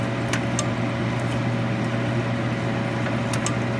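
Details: Philco Noisless 6800 BTU air conditioner, possibly from the 1960s–70s, running on high fan before the compressor is started. An even, steady whoosh of air over a smooth low hum with no rubbing. Normal high-fan operation.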